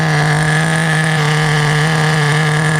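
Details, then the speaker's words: Restored vintage Team Associated TC3 nitro engine after re-tightening a loose cooling head: the idle has settled and the fuel tank no longer bubbles. A high, steady buzzing idle with no surging; it holds idle at full brake and the tune is adequate. "So at full brake, let's see. Does it shut off? No. So it holds an idle okay."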